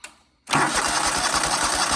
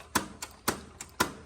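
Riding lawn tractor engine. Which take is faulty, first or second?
second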